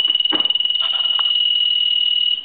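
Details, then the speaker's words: Military TA tactical field telephone after repair conversion, final checkout; ringing the phone, the piezo ringer gives a shrill, steady high buzz with a quick warble for about two seconds then cuts off cleanly; normal piezo ringer. "And so I'm going to go ahead and ring this telephone now."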